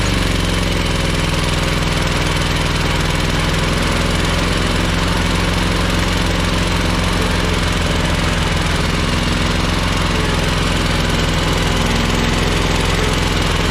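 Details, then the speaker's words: Ferris 52-inch commercial hydro walk-behind mower twin: lumpy, uneven thumping about three to four beats a second, smoking, worse and low on power with PTO engaged; running on one cylinder because a bad carb o-ring blocked a fuel jet. "the key switch is a little finicky but yeah you can here and see it's smoking and especially when you engage the PTO it runs even worse it doesn't have a lot of power"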